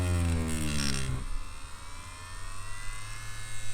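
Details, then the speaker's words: Spektra Flux Max tattoo machine switched on with the speed-up function at level 3: the small motor buzzes at high speed, its pitch shifting as it accelerates and settles into a lighter hum; normal spin-up. "Ну да, но по звуку даже слышно. То есть она разгоняется."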